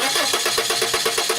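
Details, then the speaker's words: Car cranking with a test light on the blue coil-negative control wires: even cranking at about eight compression beats a second, never catches; no flicker, no control on either coil, so no spark from a failed igniter, not the coil. "good okay no flicker no control on either coil and that means that this car does not need a coil what we need to address is why there's no negative control"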